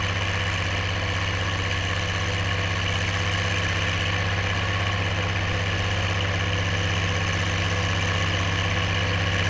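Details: Oliver 1550 diesel tractor pulling a JD BW disk about 6–8 inches deep, running well once whatever was in the fuel system cleared: deep, even drone with a steady beat, no misses, knocks or surging under load.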